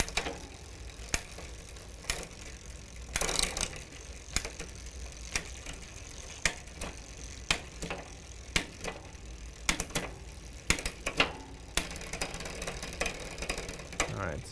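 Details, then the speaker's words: Huffy bicycle with Shimano rear derailleur during adjustment: ratcheting clicks and chain clatter, rough harsh engagement into seventh (top) gear; fixed by backing the adjustment off slightly more. "it is getting into the gear but it's being a little rough to get there so i'm going to back this off just a little bit more"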